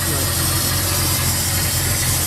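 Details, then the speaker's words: Outboard boat motor warming up in forward gear with prop spinning during winterizing, after oil filter change: strong, even drone, no stumble, knock or surging; temperature not yet risen; normal idle. "right now for not running since SOA she's running quite strong temperature hasn't really increase much"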